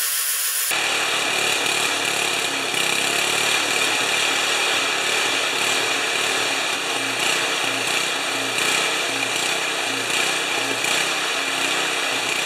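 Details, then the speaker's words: 1973 Tecumseh snow blower engine, restarted without choke after carburetor reinstall. High buzz hunting up and down about once a second instead of a steady idle; owner unhappy, hesitant to test gears. Engine surging at idle. "here little surgy I'm not happy with that I'm afraid to test the gears"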